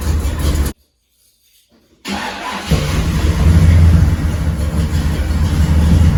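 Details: 1979 GMC Caballero big block after fixing exhaust leaks at the header-to-exhaust joint: engine catches and settles into a deep, even rumble, then revs cleanly with no ticking or puffing; exhaust sealed and healthy.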